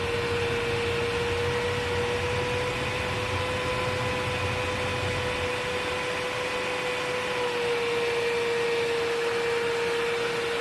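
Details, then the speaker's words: Bosch Premium Electro Duo XXL vacuum on full power with BBK 340 power nozzle: steady airy rush with a thin constant whistle. Air leak at the power nozzle's rear joint connections. "this is a problem that plagues a lot of power nozzles and in this case this BBK 340 isn't immune to it you've got leaky connections you've got leaky connections just in general right in here and also right in here"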